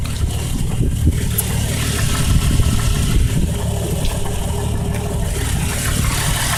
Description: possible rod knock 98 cherokee 4.0